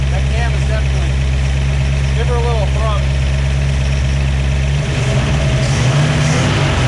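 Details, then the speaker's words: Idle of a 1967 Ford Fastback 289 V8 with a new cam, just revived, with strong oil pressure. Smooth, steady idle with a faint light ticking from the lifters; the rumble picks up near the end. Engine sounds nice and healthy. "so this car can sit and idle it's definitely sounding nice"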